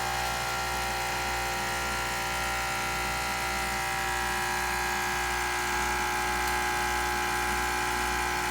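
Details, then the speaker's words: Breville 800ESXL with replaced ULKA EFP5 vibratory pump (old one sputtered), brewing: steady buzz with fine rapid pulse, no rattle or strain; good 15 bar pressure, pouring nicely. "So you can see there we're getting good pressure coming through. That's that 15 bars of pressure. And it's pouring nicely right on through there."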